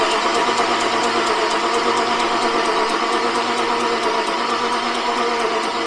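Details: Jaguar XJRS V12, first start attempt on spare battery and external fuel supply with return, fuel primed, throttle slightly open: fast steady starter churning with regular ticks about three a second, no firing; cranks but won't start, cause not yet found.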